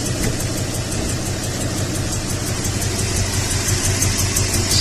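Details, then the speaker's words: 2002 Toyota Tundra V8 idling with a flashing MIL, a misfire severe enough to damage the catalyst. Uneven, lumpy, stumbling idle with faint exhaust-leak ticking; a dead cylinder misfiring, and it needs a coil. "the MAL is currently flashing which would indicate a misfire severe enough to damage the catalyst is occurring"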